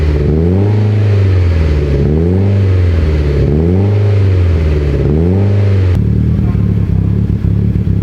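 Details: Mitsubishi Evo X, 800whp build, first start of a fresh engine with Greddy catback: smooth repeated blips rising and falling cleanly, then steady even idle without clatter; healthy, only wastegate and evap codes logged.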